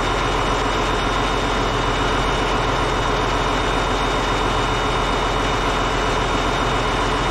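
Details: Caterpillar D8H bulldozer (46A serial, year unknown, No. 28 cable control unit) running after sitting 15+ years, once fuel reached it: deep, steady diesel idle with an even, fast chug and no misses or knocks, running good. Normal idle.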